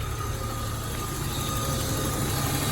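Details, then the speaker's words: 1997 BMW E36 idling after a DIY oil change: a steady, even idle with a faint light tick over it, which the owner attributes to a sensor due for replacement; the cause is unconfirmed. "guys hear that ticking that's my sensor that's gonna be in a place soon"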